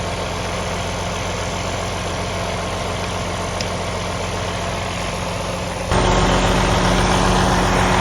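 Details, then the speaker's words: DD15 diesel truck idling steadily with an even beat, no knock or stumble, after about 45 minutes of running; engine knock and excessive regens attributed to air entering through a cracked fuel line (and a poorly connected fuse); normal idle. "So we've been running this truck for about 45 minutes and it hasn't done its little episode. It sounds like a good running engine again."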